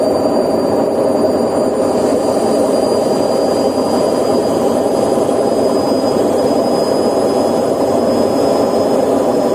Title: CANDY WASHING MACHINE DRUM BEARING SOUND #automobile#candy #job